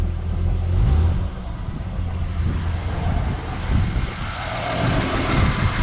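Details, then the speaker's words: Ford XW sedan, 250 pre-crossflow six with C4 auto, first running in 17 years on old residual fuel: smooth, low, even six-cylinder rumble with light throttle blip, slight smoke, no misfire or knock. "old fuel a bit of residual old stuff you feel that the pedal's better more responsive now"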